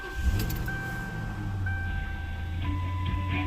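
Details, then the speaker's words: Ford Town Car idles smooth and even on all cylinders, no stumble or skip, after replacing the failed number 8 cylinder coil pack that caused a misfire; this is the third new coil pack so far. "nice and smooth yep well we're good again so i'm up to what three three new coal packs so we'll see see how the other ones last"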